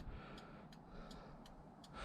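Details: Ford Fiesta XR2 Mk2, long unused, exterior lights being repaired: crisp, evenly spaced ticks about every third of a second over a low hum with hazards on; flasher relay cycling normally, brake lights flicker slightly with hazards.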